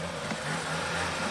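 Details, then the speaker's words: 2017 Ford Escape 1.5 L EcoBoost, 128,000 miles, black sludgy oil, blue smoke and a stall at startup: brief rev with an unsteady, wavering drone instead of a clean rise; the engine runs rough. "Runs like garbage. 128,000 miles. This has the 1.5 liter EcoBoost. It's probably time for it to blow up."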